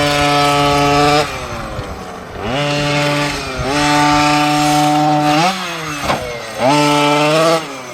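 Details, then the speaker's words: Losi 5T 1/5-scale RC truck with OBR 46cc two-stroke and silenced pipe on first track run: buzzy revving in bursts, pitch wavering and uneven on throttle; running rough, carburetor needs tuning via needle screws. "Oh, I hear that. - Yeah it needs a tune right now."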